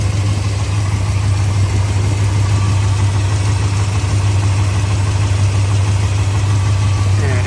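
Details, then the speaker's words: 1966 Ford F100 with a 390 FE big-block V8 and C6 automatic, straight pipes into small simple mufflers, odometer showing about 36,000 (likely rolled over): a deep, steady, smooth idle with no knocks or misses. "it is smooth."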